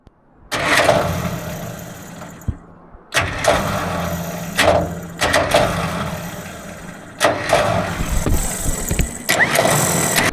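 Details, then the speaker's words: Vintage TD9 bulldozer with a fully charged battery and wiring apparently fine: short bursts of fast, free-spinning starter whir with no cranking; pinion not engaging the flywheel, owner suspects the solenoid or flywheel gears. "I've got a problem with the uh starter motor on the TD9. It's spinning, but it's not engaging."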